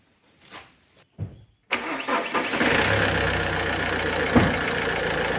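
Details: Alfa Romeo 147 1.9 JTD 8-valve diesel, hot engine, fault code P1320: steady starter cranking about three turns a second that goes on without the engine catching; crank no start when hot.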